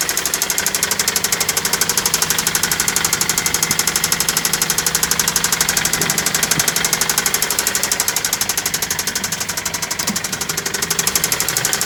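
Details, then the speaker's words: Toyota Celica with newly installed JDM replacement engine idling about 10 minutes, near operating temperature: sharp, evenly spaced ticking knock about three per second persists; owner says it's not carbon buildup, knocking badly, needs replacing. "listen to that that doesn't sound like just carbon buildup that engine is knocking so bad"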